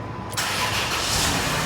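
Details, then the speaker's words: 2000 Chrysler Town & Country 3.8 after instrument cluster circuit board repair fixing intermittent no-crank and dead gauges: short crank firing quickly into steady running with no hesitation; clean normal start. "We got a car that starts now."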